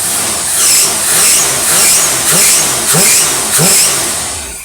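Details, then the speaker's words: V8 on test with a Motorcraft 4300 carb from a 1967 Thunderbird crew cab, dyno off: blips up cleanly several times and drops back smoothly to about 700 rpm idle, no stumble; carb working properly. "now listen to this thing and she swerves just like she's supposed to let's see yeah dino's off this is good that's idling right there at about 700"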